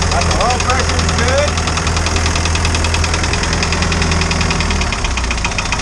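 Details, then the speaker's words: Isuzu 4BD2T diesel in a snowcat, first run after new cylinder head for exhaust-to-coolant leak repair: light quick ticking over the idle rumble; owner says one valve needs better adjustment, valve clatter. "sounds like i need to adjust the valves a little bit better"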